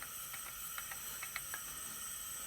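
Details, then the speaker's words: Leak-down test on a 265 ci small-block Chevy from a 1956 Chevy, cylinder pressurised to 100 psi. A steady airy hiss with faint gauge tapping; only 34 psi held, so 66% leakage past the rings, unacceptable. "66 percent of the combustion air in here is leaking past where it should unacceptable"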